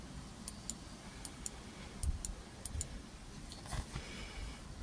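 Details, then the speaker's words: Land Rover Discovery 3 tailgate release: the new replacement micro switch gives crisp, light single clicks in quick pairs, each press a clean snap. The switch is actuating properly. "So the micro switch, you can hear now."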